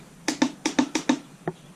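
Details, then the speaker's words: 1978 Honda Goldwing, unrun for years after outdoor storage, battery on trickle charger: sharp dry clicks in quick pairs with no cranking; solenoid clicks but engine won't turn over, weak battery suspected. "there's the start button let's see if it turns over nope i hear the i hear the solenoid clicking"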